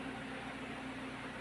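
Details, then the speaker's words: Medium tour bus AC blower after repair of total AC failure traced to a dead alternator: steady airy rush with a faint constant hum, no surging, rubbing or rattling; blower running normally again. "ya angin blower telah hidup kembali dapat kita lihat anginnya sudah normal ya"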